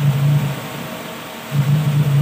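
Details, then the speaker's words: Toyota Lovelife after idle-up repair: deep loud low drone at steady idle, swelling with throttle blips; noise is only the open free-flow exhaust, quiet when the tailpipe is covered. "Hindi narinig nyo po maingay, tambucho niya yan. Peace, takpo mo nga tambucho."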